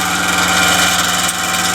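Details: Welder after soldering a new relay to the motherboard, powered on and torch trigger pressed, watching the small brass drive cog: constant high buzzy motor whir with no load change; wire feed motor spins but the drive does not turn, cause not confirmed.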